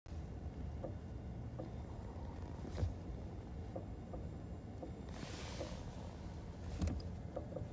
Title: 2017 Kia niro brake clicking noise